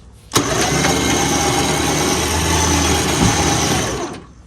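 Engine catches cleanly and settles into a steady, even idle with no knocks or misses, then cuts off; sounds healthy.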